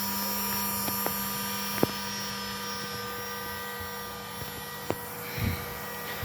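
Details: GPNI 2.2 kW 220 V three-phase ER20 800 Hz 24,000 rpm spindle on a Fuling DZB300 inverter, test run after parameter setup: quiet steady high whine, no wavering, rattles or grinding; normal spindle running at high speed.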